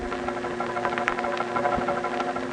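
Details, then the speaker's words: 1970s analog telephone network, Crossbar 1 register sender sending a seven-digit call as multifrequency tones: quick bursts of sharp metallic relay clatter over a low hum, ending with a loud clang as the sender drops out. Normal relay operation. "is a mechanical sound of the relays that are actually turning the beeps off and on to send out the multifrequency tones and that last loud metallic sound is the register sender dropping out leaving the call to continue to go through because it's done its job"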